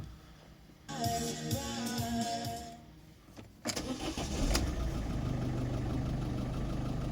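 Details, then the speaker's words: 2010 Citroën Nemo 1.4 HDi 75 hp (DV4) diesel with 240,000 km: short crank, immediate catch and a steady, even idle with no knocks or misses. Normal start and idle. "comme il tourne il tourne impeccable en plus le moteur capte"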